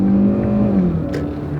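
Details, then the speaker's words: Used Carvana Hyundai Accent, codes reset, driven hard in manual-shift mode at high rpm; clean rising engine note that drops at each shift, no stumble or popping, no codes returned. Normal engine under hard acceleration, no misfire. "It's running perfectly fine. It has no misfire. I drove the heck out of it."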